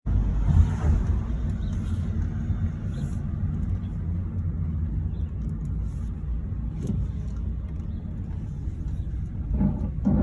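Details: 2010 Mazda3 front passenger wheel, grinding on left turns: heavy low rumbling growl, rougher in stretches, from worn press-in front wheel bearing, confirmed by spinning the unloaded spindle; bearing to be replaced.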